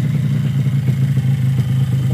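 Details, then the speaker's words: Yamaha RX-King two-stroke engine after rebuild (block honed, piston refitted), running with an even, steady low buzz and no knocks or rattles; normal smooth running, though owner's test ride later showed hesitant initial pull. "Wah, halus kan memang."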